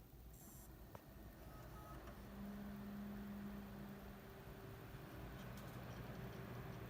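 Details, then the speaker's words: Computer case fan newly replaced because the old one rattled and made loud noise, running after power-on: a soft, steady whir with a faint even hum and no rattle or ticking; the replacement fan runs quietly and healthy. "it's running and it's quiet so that's how you change out your fan on your computer to fix noises that is making now"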